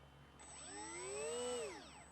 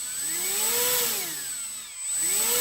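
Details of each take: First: HobbyKing EZIO 800 RC glider at its maiden flight with a new, charged battery. A shrill screaming whistle climbs, holds about a second, then falls; it did not happen during checks at home. Faulty brushless ESC. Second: HobbyKing EZIO 800 electric glider, motor speed test to isolate the earlier squeal: a clean whine sweeping smoothly up and down with throttle, no stutter or strange noise. The result points to the ESC as the faulty part; motor running normally.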